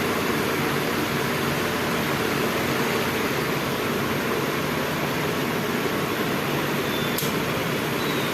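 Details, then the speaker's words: DC pedestal fan that ran on only one speed, after rewiring the speed selector connections, on the next lower setting past 2 at reduced speed: steady, even rush of air, no rattle, hum or scraping. Normal running. "अभी 2 पे थोड़ी सी speed कम हो गई। अभी उससे भी थोड़ी सी speed कम हो"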